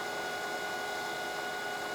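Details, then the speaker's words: Lathe turning a plug gauge, tool fed slowly by hand into the shoulder on a 0.100-inch cut: thin steady high-pitched ring over the cut; tool chatter, quieter when feeding faster or stopping. "until I get to my zero and you can hear it chattering there right there okay another hundred thousands on the indicator feed in so really dealing with chatter now"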